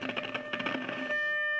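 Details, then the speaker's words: Philips BX626 tube radio under restoration, first full power-up on the phono input with a speaker, power-tube grid capacitor just replaced, maximum dim-bulb restriction: scratchy crackle, then a clean steady mid-pitched test tone; the power amp works. "We do have maximum restriction on, and I already hear there's our tone. So our power amp is working."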